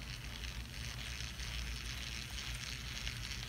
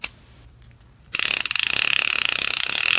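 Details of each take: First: Daiwa Lexa CC 300PWRL-P reel turned by hand: a fine, gritty whirring rasp from the level-wind drive, where the small metal gear meshes poorly with the larger plastic gear and makes a rough, cheap-sounding grinding noise. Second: Daiwa Lexa CC 300PWRL-P casting reel clicker: loud, crisp, fast even ratcheting click about three or four a second, working as it should, loud enough to wake you.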